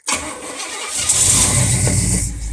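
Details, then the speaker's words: 1968 Pontiac LeMans, first start after an engine rebuild and body work: brief crank, then it catches quickly into a strong, steady idle; a clean start, timing about 9°, no leaks. "There she goes, first rip after all the body work."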